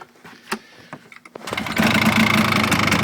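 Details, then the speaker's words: Polaris Xplorer 400 two-stroke quad, cold first start after sitting almost 2 years on old fuel: scattered pops, then a fast, buzzy, slightly uneven idle that won't hold; owner suspects choke shut off too early. "now doesn't want to idle I guess have to uh put back on the"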